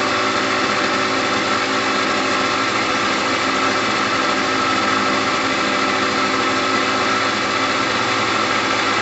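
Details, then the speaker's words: Gilera DNA 125 two-stroke scooter starting on a new fuel line with two-stroke oil premixed in the petrol: even, steady buzzing idle with no misses, surges or knocks. Normal idle. "on the bottom there's that two-stroke sound we're looking for there is two-stroke oil in the petrol so we're okay at the moment"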